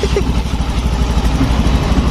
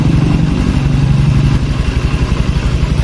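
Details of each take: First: Motorcycle idling, engine not yet hot: fast, light ticking over the exhaust thump from valve clearance grown too loose with use. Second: Honda Scoopy (pre-2020 model, 800 ml oil capacity), complaint of hard steering, intermittent starting and rough engine: steady, even idle thump at about three beats per second with no knock, miss or rattle; engine idle is normal.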